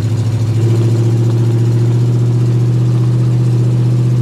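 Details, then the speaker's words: Cold start at about 11 degrees outside, surprisingly firing up, with oil pressure over 90 psi: a deep, even low rumble settling after a brief startup rev, steady and smooth with no knocks. Normal cold idle. "It is cold. I'm honestly surprised that this thing fired up like it did. I didn't think that was going to happen."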